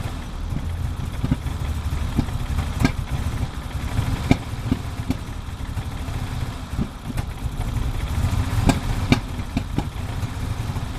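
Cold idle that stumbles and hunts, with sharp irregular pops breaking through every second or so; a misfire while cold, cause unknown.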